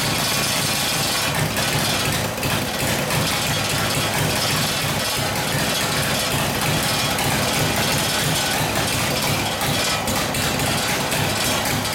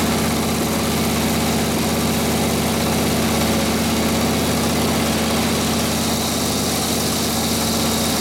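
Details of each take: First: Harley WL 45ci flathead V-twin in a 1932-34 RL frame, 1939-40 3-speed, no throttle, run at barely-cracked idle, no choke: harsh, uneven clatter with irregular popping and loping; possible fuel starvation, gas perhaps not reaching the fuel line. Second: 1936 Harley RL-frame bobber with later 1940s WL 45ci flathead V-twin, 1939-40 3-speed, after rebuild and points timing: loud steady loping idle about two beats a second while warming up, no knocks, clean muffler note that spits flame when revved; normal idle.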